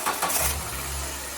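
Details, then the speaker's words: Ford Bantam Rocam four-cylinder just after spark plug replacement starts with a quick crank and settles into a low even idle with no stutters or misses; a power steering pump bearing noise is also present. "idling. Lovely. No stutters or splattering also in the scene that we're firing well."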